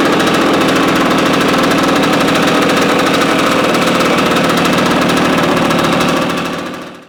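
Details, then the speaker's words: 1971 Yamaha AT-1 125cc two-stroke, not run in over a year, first start on choke with a rigged battery: rapid, crackly firing about four pops a second, running steadily before cutting off; engine runs fine. "Well, there we go. It runs. Like I said, we'll get the battery situation figured out."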